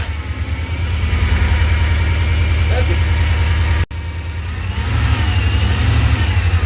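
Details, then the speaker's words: 5.3 LS V8 from a Suburban swapped into a promod rock crawler, first start: deep, even burble with a steady beat and light throttle blips; smooth, quiet, healthy running. "it's running and it's actually quiet"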